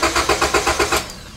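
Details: 2001 Honda Civic that cranks but won't start, no green key light on the dash (immobilizer suspected); starter turns briskly at about five even compression beats a second without a single catch; spark test shows no spark.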